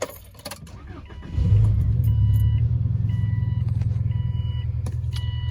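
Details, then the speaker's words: Subaru Baja started in neutral, clutch depressed: loud rough low rumble at idle, louder at the front than behind the car, from a rusted exhaust leak; warning chime repeats, check engine light on with cylinder 4 misfire. "Well, you're right. And the rust is on the exhaust, as you shall now hear."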